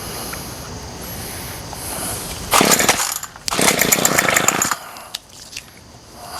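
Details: Remington pole saw two-stroke, no cutting head fitted, after carburetor rebuild and fuel line replacement having sat a year: fires and buzzes high in two runs and starts cleanly; carburetor hard to adjust without load, possibly slightly rich.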